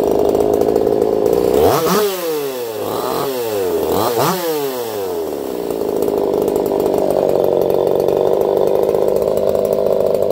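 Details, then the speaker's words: Echo CS-4910 chainsaw with taper-top piston/crank swap, test cuts, running warm, compression about 180 psi cold and 170 warmed up: crisp high scream dipping and climbing under load with no popping or stumble; healthy normal running in cut. "I'll be curious to see what you guys think of that one. I don't even think it sounds like a chainsaw."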